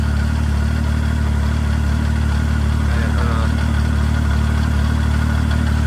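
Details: 2015 Arctic Cat 7000 Snow Pro snowmobile with Yamaha four-stroke engine, 12,053 km, now up to temperature: even, steady low idle thrum with no knocks or misfires; idles cleanly, normal warm idle.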